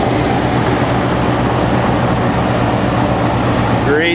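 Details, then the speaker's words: 1948 Chevy 1-ton truck, 216 inline-six, at idle, heard at the exhaust pipe: low, even hum, steady beat, no misses, knocks or ticks; runs really nice and smooth, healthy motor. "Runs really nice and smooth. Exhaust pipe there. Very sweet sounding motor."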